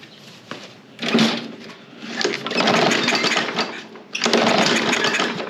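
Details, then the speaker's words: Toro Recycler mower, Briggs and Stratton engine, won't fire on its own, started on starting fluid, air filter needs replacing: coughs, catches in surging bursts, sags and picks up, no steady note; carb clean probably needed (suspected). "Okay. So, it is running and it stays running. So, it does probably just need a quick carb clean to make that where you don't need starting fluid."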